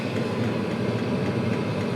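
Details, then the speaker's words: Chinese 12/24V diesel air and water heater (5–7 kW), just after the glow plug switched off, fan at about 3,400 RPM, putting out warm air. Steady even whoosh of fan and burner, no misfiring or popping; lit and running normally. "Oh. I think the glow plug's gone off and it's now running."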